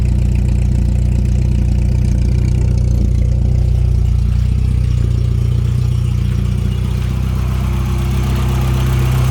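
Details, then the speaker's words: 1989 Volkswagen Jetta 1.8L, louder aftermarket exhaust, after a couple minutes of running well: idles low and uneven, lumpy and sputtering near stalling, with smoke; cause unknown, owner found no vacuum leaks. "now it starts smoking and running really rough almost to the stalling point believe this is as bad as it's gonna get"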